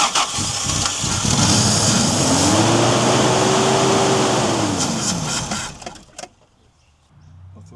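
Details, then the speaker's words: 1990 Toyota LandCruiser, 3F petrol engine, sitting for years, fuel tipped into the carburetor bowl with tank empty: catches, revs and holds a few seconds, then fades and dies once the bowl runs dry; fuel starvation. "She's She's only running off what I tipped in the bowl. Uh once we hook this fuel supply up, we'll drain the tank and and put some in it, but she's she's definitely running."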